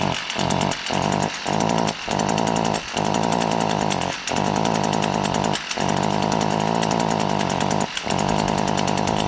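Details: Chainsaw still under warranty, hard to start: screams at high revs but cuts out briefly every second or two, stuttering unevenly, cause unclear; rough running with intermittent dropouts.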